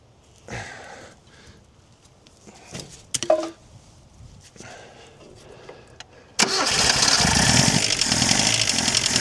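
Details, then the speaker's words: Chrysler Galant 1600 wagon sitting 30 years, first cold start: cranks, catches and runs rough with fast, uneven tapping over the exhaust; not thought a conrod knock, pre-ignition suspected, not confirmed. "Doesn't [snorts] sound like a a con a conrod knock or anything. Sounds like a pre-ignition noise or a from here anyway."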